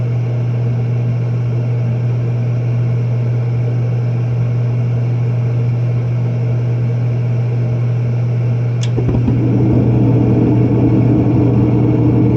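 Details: Propane warm-air horizontal commercial furnace in an attic, after fitting and adjusting a new universal igniter: steady low hum, a tick and soft rush as the burner lights and airflow picks up evenly; lights every time, normal operation.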